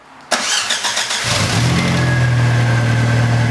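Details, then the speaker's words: VW Corrado, first startup after installing a new supercharger: brief cranking, then the engine catches at once and settles into a steady even idle with no misses; clean, healthy start. "it didn't even miss a beat. Didn't even miss a beat. It's alive."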